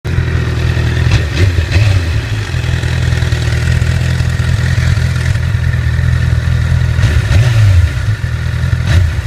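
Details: 2008 Honda CBR1000RR at about 29,400 miles, idling and revving in short blips with a metallic rattle; suspected faulty cam chain tensioner, and replacing it removed the noise.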